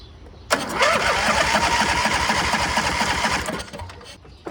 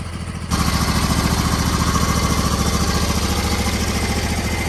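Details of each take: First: MTD Gold garden tractor with a 26 hp Briggs & Stratton engine, left sitting, spark confirmed: it catches and runs rough on gas poured down the carburettor, then dies. No fuel reaches the carb although the fuel pump works, and the fuel shutoff solenoid is suspected. No fuel delivery to carburettor. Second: MTD Gold garden tractor with 54-inch deck, 26 hp Briggs & Stratton V-twin, about 447 hours, after the electrical fault was fixed. An even, steady beat holds constant speed with no misses, knocks or hunting. Normal, healthy running.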